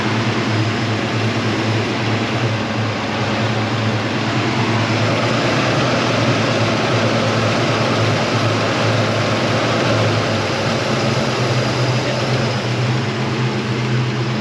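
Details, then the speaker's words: 1977 Chevy Nova Concours V8 after tune-up, following a test drive: steady, even low rumble, no misses or knocks, perhaps idling a touch high; owner thinks idle screw maybe needs slight adjustment. Normal idle. "I'm gonna turn it on and I will show you how it works. Maybe the idle screw can be adjusted a little, maybe."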